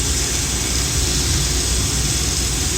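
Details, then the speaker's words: Rebuilt Kelly Duplex 3-ton horizontal paddle mixer, heard near the observation window and main bearing: steady, even hum with no knocks, scraping or irregular beats; running normally. "This unit hums right along. There are no irregular noises. There's no scraping or anything."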